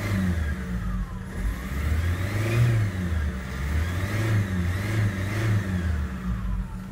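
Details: Mercedes Vito revving: engine swells and falls with an uneven, lumpy beat under the whir; rough running, cause not evident.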